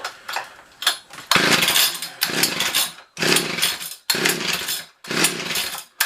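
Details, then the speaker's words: Old two-stroke ice auger: buzzes in short bursts about a second each, then sags and nearly dies between them; engine keeps stalling, adjustment next. "why does it keep dying out"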